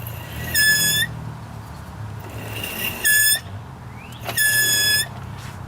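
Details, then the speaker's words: Buick after brake work and bleeding, at idle before brakes are applied: three sharp high squeals, each about half a second, over quiet idle; source unknown, pad suspected, maybe not brakes. Cause not confirmed. "oh my goodness what on Earth is that squeaking that is a real big mystery maybe it's not even the brakes can you imagine"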